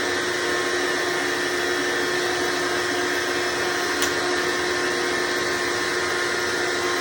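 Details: Hoover Decade Soft & Light Elite vacuum (owned since May 2024), first run after replacing 7-bladed fan impeller with 20-bladed upgrade, bearings greased: steady motor whine at one pitch with constant airy rush, no rattle or rub; mostly quieter, still a little loud.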